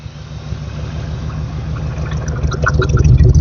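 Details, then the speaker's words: 1979 GMC C3500 Sierra Grande V8 with run-on/dieseling, after backing off the carburetor idle screw slightly with a screwdriver: deep, even idle that steadies and smooths from aggressive to calm and relaxed, no stumble; normal idle. "a lot more relaxed. [Music] So that's a little bit more calm."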